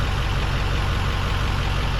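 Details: 2002 Ford F250 diesel, back at regular idle following the high-idle and stealth-mode settings: a deep, steady, even rumble with no knocks, surges or stumbles. Normal.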